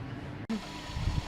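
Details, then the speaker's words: 2001 Toyota Prius 1.5L with P0171/P0174: low, uneven idle that stumbles and dips, running rough with definite misfire; lean condition. "as we can see it's running pretty rough definite a misfire"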